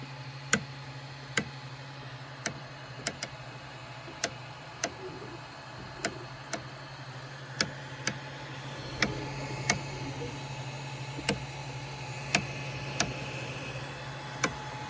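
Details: Micro Swiss direct-drive extruder when hot: sharp irregular clicks about once a second over a motor hum, with slowed extrusion. Pushing the filament from the roll side briefly stops it. Gear screw ruled out. Cause not pinned down.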